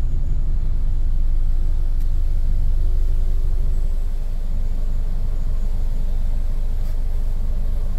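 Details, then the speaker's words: 2008 Toyota Camry with check engine light, hard starting, needs throttle to keep running; idling with AC on, shaking badly: deep rumble with an uneven pulse about four beats a second, misfiring, worse when hotter, then dies. "starts up shaking pretty bad I can feel it I don't know if he's gonna show on camera but now let's turn the AC on again see what happened the AC is on now it's shaking pretty bad"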